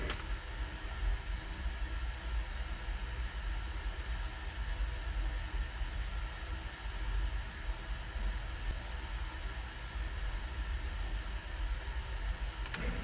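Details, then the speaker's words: New 1/3 hp sump pump with a Quiet Valve check valve, replacing a worn 20-year-old pump with bad bearings: steady low even hum, no banging or clunk as the valve closes; quiet normal operation after replacement. "i'll i'll now uh throw on some video of the pump running so you can see how quiet it is and then also a video of that quiet valve and you can see it operate everything is now so smooth and quiet it's it's amazing"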